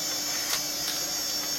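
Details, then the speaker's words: Apricot XEN-S PC floppy drive: faint irregular head-stepping ticks over a steady hum as it seeks a known-good MS-DOS 6.22 boot disk but never boots ("invalid system disk"), even with a known-good controller; possibly an Apricot-specific issue. "so it's seeking the disk in fact i can actually hear it try to see the disk actually moves the head but"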